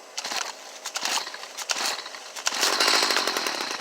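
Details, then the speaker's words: Stihl HS45 hedge trimmer, previously intermittent cold no-start, after air filter housing fix, cold on choke and primed: a few pull-start bursts, then the two-stroke catches and runs with a high buzzy note; normal cold start. "now i'm going to show you it cranking up and running like it's supposed to so we're going to put her on choke i'm going to prime her up cut the switch on got her own choke crank her over"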